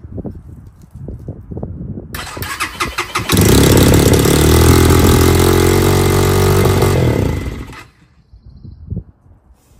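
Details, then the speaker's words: XPro Templar X 250cc dirt bike, ice-cold first start after installing a 30mm Nibbi carburetor: cranks, then the single holds a fast, even idle that won't settle; the throttle cable was too tight and was loosened. "all right it runs but but it's uh it's a little RPM I think I need to adjust this down some all right well like two seconds later I figured it out so I was on the right track our throttle cable was a little too tight"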